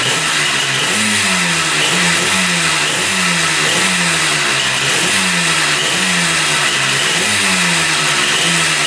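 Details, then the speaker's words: 1974 Yamaha RD200 two-stroke motorcycle after battery and wiring work: crisp ring-ding revs with clean pickup and return to idle; engine running well. "That sounds pretty darn good."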